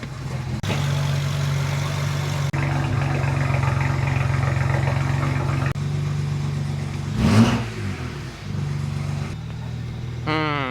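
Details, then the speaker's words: BMW E90 335i after swapping and coding injectors while chasing a misfire: steady, even idle with a smooth low hum and no stumbles; engine now running normally with no misfire. "it's running smoother now no misfires"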